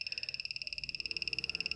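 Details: Xiaomi Mi M365 electric scooter not powering up, making fast even high-pitched electronic clicking/beeping about fifteen a second; battery tested fine with a multimeter, cause unknown.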